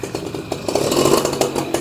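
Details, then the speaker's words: Suzuki RC100 two-stroke motorcycle, cold morning start needing choke, fired on first kick: very smooth, quiet, even two-stroke crackle settling into a steady clean idle, no knocks or misses; normal healthy idle, brief run because of smoke and noise. "sangat halus, sangat halus, bener-bener halus. 2 tak yang nggak berisik ya, ini contohnya. Jangan lama-lama karena ada asap dan berisik ya teman-teman."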